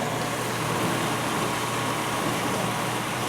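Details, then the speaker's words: 1991 GE Potscrubber dishwasher, first loaded wash with dirty water running through the upper spray arm hose: steady rush of spraying water over a smooth motor hum, no knocks or grinding; motor sounds normal. Normal wash cycle. "but no it sounds good motor sounds good sounds very um sounds very normal"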